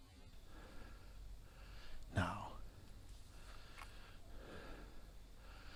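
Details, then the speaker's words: Slingshot crossbow on an experimental band/string setup shooting a 440-grain arrow: one sharp slap and thump on release, still loud and slower. Band and string slap against the back of the riser; the owner suspects the trigger latch release also adds noise. "well it was worth an attempt it's still loud and it ain't shooting very fast so we'll go back with our other setup"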